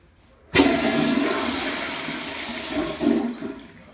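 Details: Replacement toilet tank with straight supply line, after a noisy tank on a different line: sudden rush settling into steady even refill hiss, no banging or whistle; quiet. Normal flush and refill.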